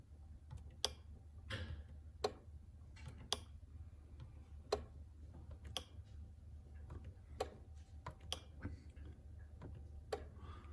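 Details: Fuel pump relay from a 1979 Porsche 930 that stalled and would not restart, bench-tested with negative to pin 86 and positive to pin 85: sharp, clean clicks in a quiet room. The relay pulls in crisply each time and is working.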